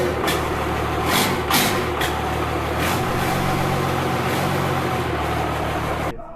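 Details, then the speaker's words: 1952 Dodge Coronet engine, rebuilt for a hoped-for reliable 500 hp with rockers and valve covers replaced, running on a makeshift engine-run setup: fires and settles into a steady, even run with throttle blips, no knocks or misses. "So, this is me starting it up after knowing that it runs for some fans and family."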